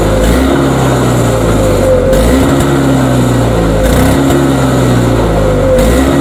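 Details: Toro single-stage two-stroke snowblower, surging for about five years, pull-started outdoors after primes, carb suspected: revs climb and drop roughly every two seconds at no load without settling; hunting surge.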